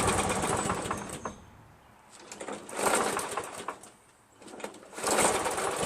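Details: Craftsman 7HP green self-propelled lawn mower, hard to start despite lapped valves, checked keyway and carb cleanings; engine surges up and down every couple of seconds, hunting; owner suspects weak gas, weak spark or a carburetor problem, unconfirmed.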